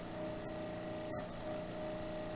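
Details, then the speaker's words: NAD M5 SACD/CD player mechanism after disc cleaning: steady whirring from the spinning disc with a couple of faint clicks; loud when the clamp puck doesn't seat well, fine when it sticks properly. "tak Głośno hałasuje Jak przykleić się dobrze Jest okej"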